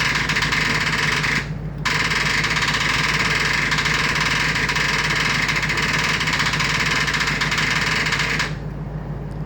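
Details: Freshly rebuilt engine cranks with continuous harsh starter churning, pausing once, but never catches; starter then seen smoking.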